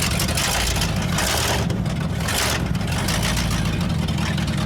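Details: Abandoned, long-sitting 1979 Ford F-350 dually pickup, about 45 years old, running on a temporary fix; it settles into a steady, even idle with a deep low rumble and no knocks or misses. Normal idle.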